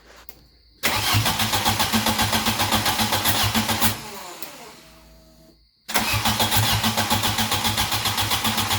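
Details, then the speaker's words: Cranking with no start: the starter spins the engine evenly, about four beats a second, but it never fires and the RPM gauge does not move. Owner suspects the crank position sensor is unplugged or its wiring is damaged. Crank no start, faulty crankshaft position sensor. "Alright, so we were going to crank it and RPMs weren't moving at all. So I'm thinking I forgot to plug in the crank position sensor, or the wire or something got junked up somehow."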